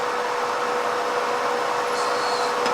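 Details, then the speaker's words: 17.5 mm slot drill in a mill, hand-wound across to the opposite side of a BSA motorcycle barrel bore to find centre before liner fitting: steady spindle hum, faint scrape and tick near the end as cutter touches bore wall. "So now if we wind this over to the other side and then wind it by hand until that cutter touches on the inside again."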